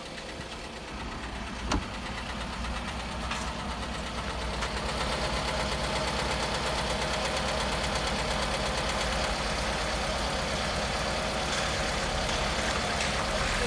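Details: Toyota Camry engine idling cold: steady, fairly even knock about three per second over the running sound; a cold-start knock, source not pinned down.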